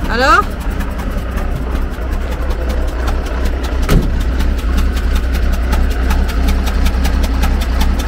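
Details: Magirus Deutz diesel camper truck restarted after a hard mountain climb: rough idle with a regular knock two to three times a second over a deep rumble; smoke from the oil breather, engine problem.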